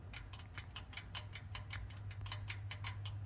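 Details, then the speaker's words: Kohler K91 engine carburetor on a Wheel Horse RJ58 garden tractor, throttle rocked by hand: quick light clicks, two or three a second, from a worn throttle shaft with excessive play; owner suspects it causes poor idle. "you hear that that is a lot of play in that throttle shaft and it goes back and forth you can just see how much plays in that"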